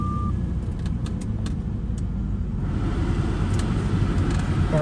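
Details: 1997 Jaguar XJ8 V8, same owner 10 years, said to run and drive great: short crank, then catches at once and settles into a deep, steady rumble; normal cold start.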